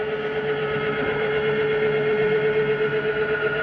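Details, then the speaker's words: Jayco Jay Flight SLX 242BHS travel trailer slide-out retracting: brief steady motor hum with a faint high whine at full retraction, the mechanism stopping itself; normal end-of-travel sound, no grinding. "it's okay to hear that just for the second that you just did hear it it's the slide mechanism telling itself not to go in any further there's nothing grinding that's the sound it makes"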